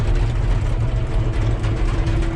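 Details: John Deere 650K dozer diesel after fuel filter change for a low fuel pressure warning: deep, steady idle, even low rumble, no stumbling or hunting; pressure now 5 psi versus zero earlier, clogged fuel line suspected.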